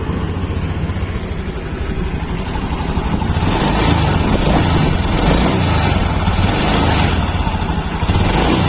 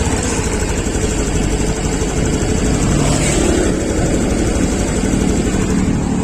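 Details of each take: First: 2021 Honda Beat Deluxe scooter: idles, then revs unevenly with a lag and stumble when throttle opens, hesitation at initial throttle; dirty throttle body. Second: 2021 Honda Beat Deluxe after throttle body cleaning and idle reset via DLC mode 1, to address hesitation on throttle: steady, even idle with a smooth low throb, no misses or surging; idling normally.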